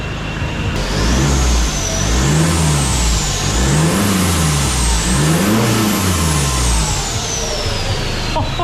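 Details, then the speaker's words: Hilux drag build, first start after new valve springs, valve stem retainers and a custom cold air intake routed through the headlight: clean, even rev blips with a whistle rising and falling with revs. "All right, let's start this thing. Moment of truth. Sounds like it's going to suck the earth in."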